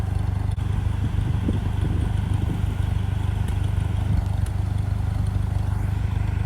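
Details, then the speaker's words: 1951 Ferguson TEA20 tractor cutting grass with a Befco rear 6' finish mower: a steady, deep, even thump from the old four-cylinder with light clatter in the background. A great-sounding old machine running normally. "Great sounding old machine."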